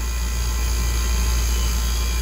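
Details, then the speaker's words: 30-year-old water-cooled walk-in cooler after Supco SPP8E hard start kit fitted, compressor had been short-cycling on overload: steady low hum and even hiss, no clicking or stalling; drawing six amps, sight glass full; running normally. "but she's drawing good amperage six amps sight glass is still full this is really good news for the customer"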